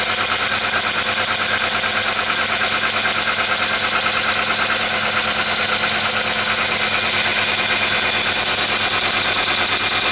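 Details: Korean G4ED engine at idle: a steady, light tick of about three per second over a smooth idle. It is likely a collapsed exhaust-side hydraulic lifter with a broken ball spring, in relatively recently replaced lifters, likely a factory defect. A worn PCV valve is also pushing out a seal.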